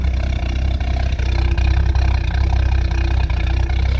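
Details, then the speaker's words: Ex-VicPol Ford XG divisional van idling after the cleaned catalytic converter was refitted. A low, fairly steady idle with a slight uneven pulse and no exhaust rasp. Smoke gone, a major improvement, though it is still not idling really well. Engine idle. "I'll just let that idle for a bit. Definitely a major improvement. The smoke's gone."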